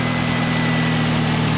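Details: Fiat Linea that made noise on cold start, after repair: steady, even idle with a smooth low hum and no knocks or ticks; normal idle, noise gone.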